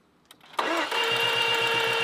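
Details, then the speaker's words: Stolen-and-recovered 2.0 L Range Rover Evoque after wiring repairs: starter spins the engine with an even, quick chuffing rhythm under a loud hiss but it never catches; cranks without starting, no compression, engine believed worn out. "copot special copot special no way compression sound is it yeah 2 L in it what did you expect God the hell guys stolen recovered sorted it all out no compression you can hear that shagged engine"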